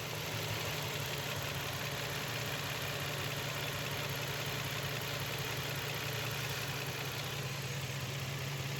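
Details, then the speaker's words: Nissan X-Trail petrol engine with missing, vibration and poor pickup: uneven shaky idle with irregular stumble and faint knock; coils checked, intake manifold removed, two injectors found clogged and not working, injectors replaced. "এখানে intact many ফুলটা খুলছি খোলার পর injector গুলা খুলে দেখলাম ইনজেক্টরের সমস্যা injector জাম হয়েছিল কাজ করতেছিল না দুইটা"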